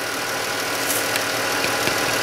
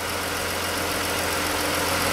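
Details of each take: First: 2013-type Chrysler 3.6 Pentastar V6 at idle: light sharp tick about four per second from the right bank, suspected failing roller rocker/lifter; before rocker and lifter replacement. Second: 2013-era Chrysler 3.6 Pentastar after replacing worn roller rockers and lifters to cure the rocker tick: steady, even idle with a smooth hum and no ticking from the top end; no codes, quieter idle.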